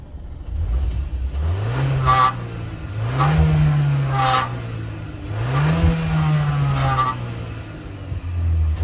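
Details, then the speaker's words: 2023 Kia XCeed GT-Line, 1.5 T-GDI turbo four-cylinder, 160 hp, 7-speed DCT: revs rise and fall over a few pulls, and on lift-off a raspy, resonant buzz rides over the exhaust. "exhale sounds so funny because there is a strange buzzing sound as if something resonated."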